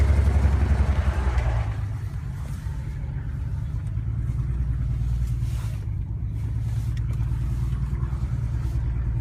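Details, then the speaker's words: BMW 335i on a morning drive after a cold start and warm-up, spark plugs recently changed: uneven, lumpy exhaust drone that sounds like a misfire. Owner suspects a coil pack or injector (had an injector issue before). Engine sounded normal after a restart. "Listen to the sound. Sounds for sure like a misfire."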